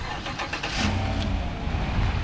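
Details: 2016 Chevy Silverado 1500 4x4 with 5.3 V8, 48k miles: engine catches quickly and settles into a deep, steady, even idle with no knocks or misses; sounds healthy.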